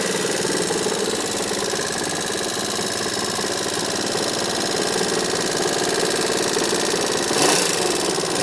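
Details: Yamaha XMAX scooter engine described as "sick": fast, light, uneven tapping over a thin buzzy engine note at steady speed; something mechanical sounds wrong, cause unclear.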